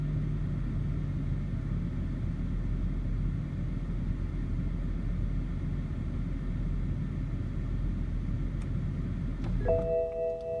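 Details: BMW E60 530i petrol: low, uneven rough idle after start for about ten seconds, then the engine dies and a warning chime sounds; cause found to be the MAF sensor.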